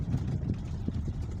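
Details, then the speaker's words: Toyota Alphard minivan on a simulated rough road after steering repair: low uneven road rumble with no clunk or knock from the steering. "bunyi klub-klub pada setir sudah tidak terdengar ya"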